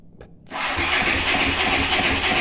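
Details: Honda CX500 V-twin motorcycle, checked on the starter button; fast steady cranking whir with even pulses but no ignition or catch; engine turns over and won't fire.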